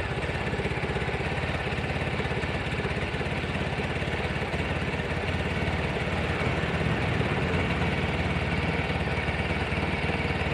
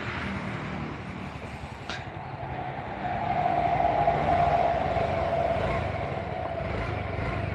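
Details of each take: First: Scooter after engine rebuild, TPS reading 14 instead of 17: steady, slow, slightly lumpy putter with no throttle changes; idle too low from the low TPS setting, injector audible. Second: Injected scooter after engine rebuild, previously lacking power and stalling, TPS at too-low 14 with air idle set: quiet, steady idle with faint even injector ticking, no hunting; running properly.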